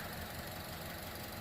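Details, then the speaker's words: 2015 Chevrolet Cruze turbo, after the turbo coolant return line repair and refilling coolant, idling to bleed the cooling system: steady, even idle hum with no knocks or hissing, no visible leaks; normal idle. "thing sounds like a beast no visible leaks coming from that area like i said we're just letting her run to bleed the cooling system"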